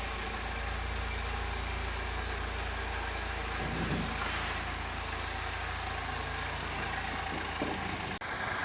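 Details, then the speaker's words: Chevrolet Malibu salvage-auction car after repair, idling on start before a test drive: steady, even smooth low rumble with no ticking, puffing or hissing; engine purrs, no exhaust leak, normal idle. "but this engine purrs man no exhaust leak no nothin man"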